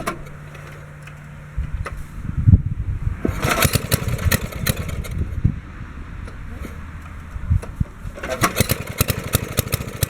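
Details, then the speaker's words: 1964 Wheel Horse 704 Kohler single-cylinder, first start after reconditioning the worn rod and crankshaft for rod knock (crank still 0.002 in out of round): catches and settles into a steady chug, rod knock gone, lifters tapping, belt flapping on guard; normal. "okay that sounds good there don't hear any rod noise now i can hear the lifters tapping and i can hear the belt flapping against the belt guard that sounds like normal"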